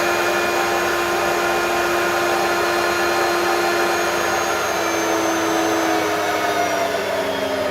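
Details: Vacuum from the tip; headlight works, but the owner suspects the electronic speed LEDs are faulty. Steady high motor whine with a smooth airflow rush and slight pitch drift. Running normally with good suction.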